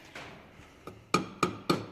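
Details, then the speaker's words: Tapping a $30 straight-through 2.25 in muffler for a 1993 Honda del Sol: four dull taps dying quickly with no ring; packed with resonating material. "Hear how it doesn't have that ring to it. It's cuz it's got resonating material in a straight through 2.25 in muffler to match the piping on this."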